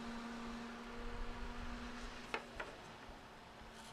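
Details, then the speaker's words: Small 12 V DC 0.2 A computer fan (model F1202512 SM) after disassembly and oiling its bushing to cure noise and shaking: spins freely and now hums quietly and evenly with a steady low tone, no rattle or grinding. "Okay. Spins freely. Let's go ahead and power it on. That sounds much better."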